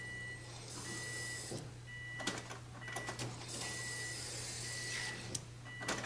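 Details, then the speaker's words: 2004 Subaru WRX fuel pump priming as the key is cycled after a new fuel filter install: short bursts of faint high whine over a low hum. Pressure built by about the third cycle and the regulator opened to return fuel. Normal, no leaks. "If you could hear it on there, about the third cycle it started to get up the pressure and the regulator opened up to let it cycle back."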